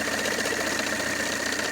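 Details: Peugeot 307 2.0 diesel DW10ATED idling: steady whirring hum and thin whine near the accessory drive belt. Failing AC compressor clutch bearing, fixed by replacing the clutch drive and driven parts and electric drive.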